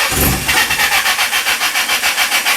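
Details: Toyota 4Runner with a swapped SR engine after sanding bad grounds on the igniter: it fires for a second, then only fast, even cranking with no pickup. Fuel was suspected, since it ran fine on starting fluid; the fuel pump was replaced.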